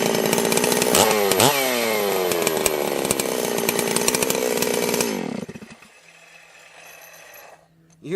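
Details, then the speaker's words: Holzfforma G660 Pro chainsaw after a quarter-inch timing advance, about 15 tanks in, air-filter baffle removed: high screaming revs drop away with popping and crackling on the way down, then a steady idle; it sounds crisp and healthy. "it's kind of popping and crack crackling as it's coming back down I think we hit [Music] it [Music] oh [Music] yeah that that woke it right up"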